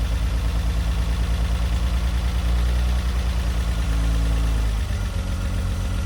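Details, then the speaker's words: Renault Alpine GTA Turbo revived from years in storage: uneven loping idle, stumble about three pulses a second, vibrating; one cylinder not firing, suspected stuck injector or ECU not triggering; 12 V applied to wake injector, after which it ran smoother. "So either just woke it up, or the ECU's not telling it to fire maybe, or the cylinder's dead."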